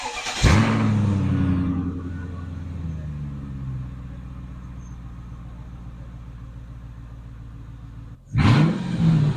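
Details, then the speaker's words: 2000 Mercedes-Benz S500 V8 with exhaust removed, no muffler or resonator: barks to life loud and raw, then settles into a deep, rumbling, unmuffled idle. "I finally got the exhaust out from this Mercedes. Do you guys want to hear what it sounds like with no muffler, no resonator?"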